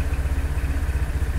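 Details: 2022 Kymco XTown 300 at idle, after installing a new Malossi variator with 17 g weights, clutch and bell housing; the old variator rattled like marbles: now an even, steady putter about thirteen beats a second, no rattle; healthy idle.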